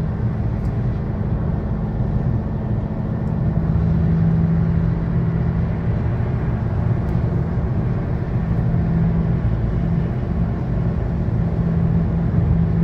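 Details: 2013 Chevy Sonic, 75,000 miles, cruising: constant low droning hum, steady in pitch, under road rumble from a bad left front wheel bearing, passenger-side bearing new.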